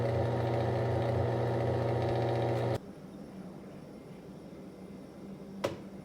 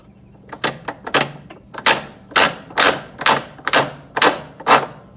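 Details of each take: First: MVWC465HW2 top-load washer agitating during a test, top panel off and no water hooked up: steady, even motor hum with a smooth agitating pulse and no grinding, then it stops. Normal agitation. The washer's complaint was a shrieking noise during pauses; a splutch drive kit was fitted. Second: Top-load washer MVWC465HW2: sharp clacks about twice a second as the splutch drive clutch teeth slip and ratchet against their grooves under load. They hold when pushed hard and slide when loose, so the worn splutch drive kit needs replacing.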